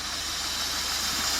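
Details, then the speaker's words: 1994 Mazda Proceed 4WD camper, 2.6 L inline-four, 117,000 km, at idle: steady airy hiss over a soft even idle from the open aftermarket air filter; otherwise runs well. "okay so 117 000 kilometers and your running condition is good though it makes a hissing sound which comes from the aftermarket style air filter here"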